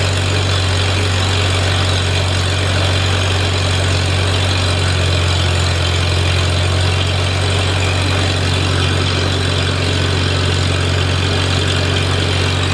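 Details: Farmall Super A tractor, newly running after ground and wire repairs restored spark, warming up: deep steady low throb at even idle, no misses, knocks or surging; healthy normal idle.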